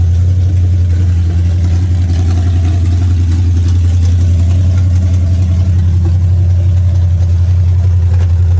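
Loud low engine drone with a slightly uneven, wavering beat instead of a clean steady note, fitting a vacuum leak that makes the carburetor hesitate.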